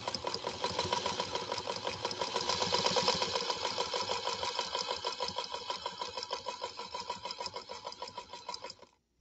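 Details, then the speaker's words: Singer Featherweight sewing machine restored, sewing peach cotton with 30-weight Aerofil thread and size 75/11 embroidery needle: light, even stitching rhythm around three per second with a soft delicate hum from hook and bobbin case; running smoothly and healthy. "i love the sound of a featherweight uh with the hook system that it has and the bobbin uh case how it interacts uh in that space it's got this delicate little hum doesn't it it's got such a pretty little sound to it when it's running when they're running well i should say"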